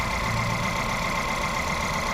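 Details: Volkswagen Polo/Vento with code P030100, a cylinder 1 misfire, that misfires at 50–70 km/h with the engine and EPC lights on; slightly uneven, lumpy idle under a steady hum; the cylinder 1 injector wiring shows no pulse while the plug lead has current.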